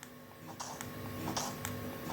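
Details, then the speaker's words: Nintendo Switch Joy-Cons rumbling: faint steady electric buzz with low hum and light clicks in a quiet room; persists with either Joy-Con removed, left possibly more vibratey; a second Joy-Con set does the same. "it's still there. I think possibly the left one is a little bit more vibratey."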